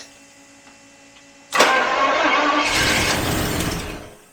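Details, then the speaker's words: 1977 Daimler Double Six V12 coupe sitting since 1982, fuel now supplied: silence, then cranking that stumbles without catching and dies; injectors clicking, possibly intermittent and suspected partly clogged; cranks but won't start. "I wonder if we have intermittent injectors. I'm hearing them now. hear the injectors clicking."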